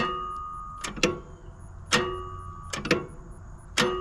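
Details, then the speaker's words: Zero-turn lawnmower that cut off after five minutes: turning the key gives sharp clicks with no cranking, and the starter eventually had to be replaced. "I got this lawnmower out here for about five minutes and it just cut off and now listen to this making this clicking noise"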